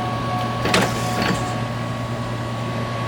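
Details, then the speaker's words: C5 Corvette headlight motor after replacing its stripped gear with a brass gear, lowering: steady, even motor whir with a couple of soft clicks, no grinding or gear chatter; no more noise, headlight motor sounds healthy. "Let's see if it makes any noise on the way down. Alright, we got no noise. Everything looks good."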